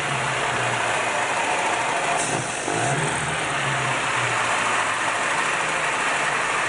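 Engine holds a steady, even hum at raised throttle with no stumbling or dips, pulling cleanly and running smoothly.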